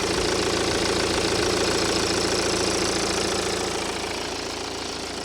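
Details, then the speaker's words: BMW 1 Series diesel restarted after running out of fuel, mic near the engine bay: a steady idle clatter with an even knock rhythm and no misses, settling slightly quieter and rocking less; the engine runs normally. "Seems to have calmed down a little bit now, to be honest with you. Place it there. Doesn't seem to be rocking as much. Maybe it was just cold. But that seems to be going all right now."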